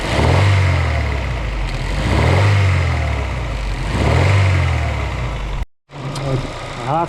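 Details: Daewoo Lanos engine knock, owner says it has knocked about two months, worse under load and when hot, less when cold: dull, heavy knock deep in the block rising with each rev; mechanic suspects crankshaft bearings, possibly connecting rod.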